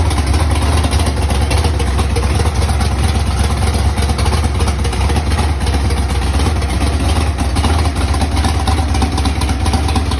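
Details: Big-block Mustang engine first fired after a fire and months of storage, oil pump prime screw broken off: deep loud idle with an uneven, lumpy beat, sounding like it's not hitting on all cylinders; cause unconfirmed, idle to be raised.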